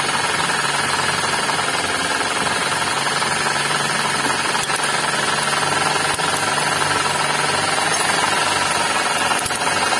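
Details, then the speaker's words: Suzuki Ignis manual, running engine: rough gritty growl with fast rattle, indicating worn bearings among alternator, water pump and V-belt tensioner. "Nah ini indikasinya di bagian bearing nah ini di bagian Bereng antara alternator terus water pump terus bearing tensionantibel"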